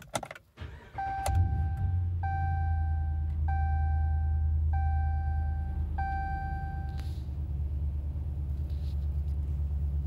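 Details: 2017 RAM 5.7 Hemi V8, just after installing a Mopar cold air intake (77070023AD): catches quickly and settles into a smooth, even, quiet idle under a repeating door chime. Normal idle.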